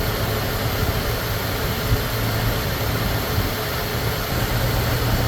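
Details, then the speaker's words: Ford Thunderbird Town Landau after new fuel pump, carburetor rebuild and brake work: steady low idle rumble, no ticking, knocking or surging; idling normally. "It's got good oil pressure. Everything seems fine. Ain't making any bad noises. So we'll see what happens. It sounds good so far."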